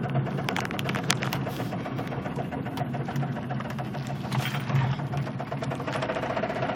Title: knocking sound driving slow